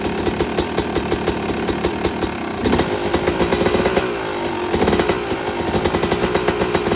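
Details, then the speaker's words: Yamaha YZ250 two-stroke dirt bike after rebuilding a locked-up engine, factory crank and crank bearings kept, old fuel drained and refilled: crisp, even ringing idle with rapid popping and small throttle blips; normal healthy idle. "okay so I know this video has been kind of all over the place but we finally got the bike together and we got it started"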